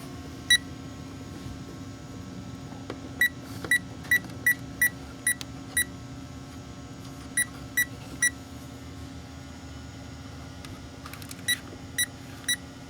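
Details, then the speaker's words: Power Probe fault finder on 2008 Saturn Astra P0693 cooling fan relay 2 control circuit; sharp chirps every half second, then silence for several seconds where signal is lost in the harness, resuming at a bend, suggesting an open in the wiring. "so I'm losing it up in here, and I go down to this bend and it starts picking it back up."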